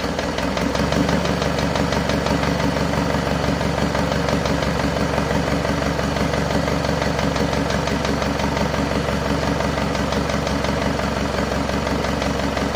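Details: Isuzu Panther 2.5 diesel after overhaul with turbo and intercooler upgrade, first warm-up after about two weeks assembled: steady idle with a faint, even light tick; mechanic suspects parts not yet fully settled, oil pressure normal.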